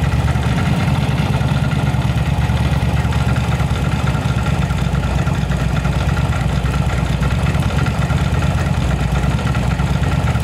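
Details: Yamaha V-Star 1100 Classic (same engine as Bulldog BT 1100) with backfire and spark-plug flooding complaint, traced to a rotten pipe: steady, even low thump at idle with no misses, both cylinders firing cleanly, smooth normal idle.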